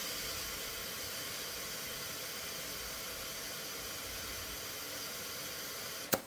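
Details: 1957 Ford Fairlane sitting on four flat tires, being reinflated; constant loud hiss of air for six seconds, then thump and silence; air escaping past unseated bead of very flat tire during inflation.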